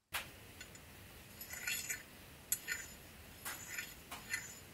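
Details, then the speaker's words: Fingernail drawn along a used apex seal from an RX8 rotary engine (about 80–100k miles, low front-rotor compression, misfires) catches with small ticks and jumps, showing excess grooving and high and low spots; seal rated 8/10 versus a smooth new carbon seal. "you can hear a couple little ticks or jumps in that noise what that is is some excess groove or a high and low spot in this Apex seal"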